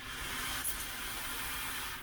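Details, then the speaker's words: GE glass-top agitatorless washer being diagnosed for a water issue, supply valves opened into a bucket with hoses disconnected: strong, steady hiss of water with no sputter or drop-off; cold and hot supply flow normally. "all right we have cold water flowing no problem and we have hot water flowing so I think that's great"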